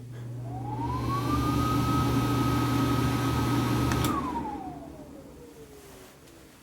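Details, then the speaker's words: A bathroom heat/exhaust fan running after its buzzing timer switch was replaced. The fan tone rises quickly to a steady, even hum, holds smoothly, then winds down when switched off; a healthy fan. "power's back on our lights work Heat fan works"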